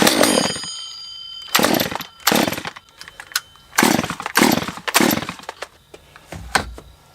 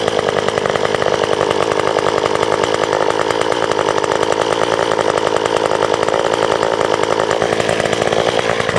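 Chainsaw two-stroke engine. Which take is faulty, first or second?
first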